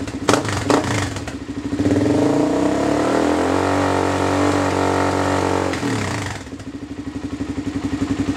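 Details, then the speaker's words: Two-stroke Z400 quad after jetting, with 170 main jet, needle on last ring and spark arrestor removed: a crisp idle revs cleanly, holds, then drops back to a steady popping idle. It runs healthy; there is a minor exhaust leak at the muffler slip joint. "Sounds good to me. I do have a minor exhaust leak right where the muffler slips on, but I think I'm gonna check that out right now, see if I can seal that up, and then yeah, seems like it's running a lot better than it was before, so I'm happy about that."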